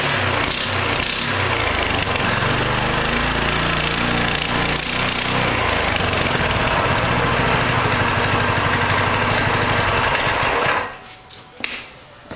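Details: Coleman CT200U mini bike Honda GX200-clone engine with new 3/4" GX200 crankshaft, chain not connected: fast even rattly putter for about ten seconds, then cuts off; normal running.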